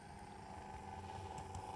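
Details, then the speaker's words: New Atlas C420 model diesel locomotive, not yet run in: even continuous whirr with a low drone and a steady mid-pitched tone, smooth but noticeably loud for a small motor. "Goodness me. of all the noise. But yeah, it's beautifully smooth."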